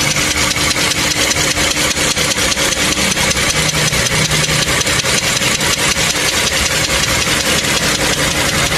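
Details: Toyota Camry 3.5 L V6 2GR, about 100,000 km, recorded in the engine bay at warm idle: sharp, regular metallic ticking knock, several taps a second, heard even inside the cabin; worn connecting rod bearings, before engine overhaul.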